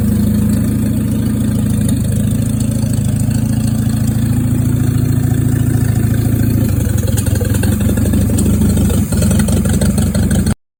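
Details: Junkyard Willys engine, timing suspected off: loud, low, uneven idle with irregular stumbling pulses that change partway, then it shuts off; rough running, cause not yet found.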